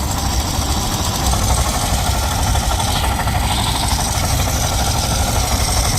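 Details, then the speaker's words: Suzuki Burgman 125 scooter at about 78,000 km, idling and very hot: rough fast metallic clatter from the rear, attributed to a worn crankshaft; crank and engine to be replaced. "आणि आपल्या रुस्तम मधून भरपूर आवाज यायला लागला त्याच्या crank मधून आपल्याला क्रँक सुद्धा बदलायचा आहे"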